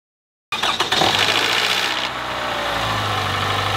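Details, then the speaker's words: Toyota 1AR-FE four-cylinder cold start: the starter catches, then a brief metallic rattle sounds in the first second before it settles to idle. This is a cold-start knock from the variable valve timing system. "you can hear that first metallic sound once the starter engages and the engine actually started"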